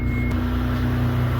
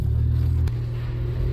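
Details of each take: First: 1992 Dodge Stealth, first start in neutral after water pump replacement, inspection cover still off: a smooth, steady low idle hum with no clicking, clacking or banging. Normal idle. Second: 1992 Dodge Stealth at idle while being driven into the shop. A loud, low droning rumble holds steady and wavers slightly, a worn, loose water pump bearing. The car is due for a water pump and timing belt replacement.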